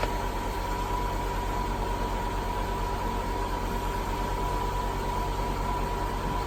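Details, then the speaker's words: 2000 Mercedes-Benz S430 W220 Airmatic after front left strut replacement, level button pressed, engine idling: steady even electric hum with faint constant tone as compressor fills the strut normally, sounding healthy. "you have the level left button here the compressor running now [Music]"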